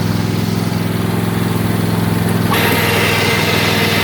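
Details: Craftsman riding mower's small twin engine, started after sitting, chugs with a lumpy, uneven beat, one side clearly not firing, still running on one cylinder as the week before.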